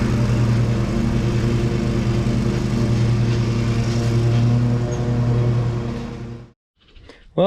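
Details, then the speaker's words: Exmark Pioneer zero-turn mower after oil service and deck belt reinstallation: steady, even engine drone with no squeal or grinding, belt staying on and pulleys quiet, then a clean shutdown; normal running. "Well, everything seemed to work okay. That belt stayed on. Doesn't feel like it's warm or anything. And the pulleys were quiet and everything."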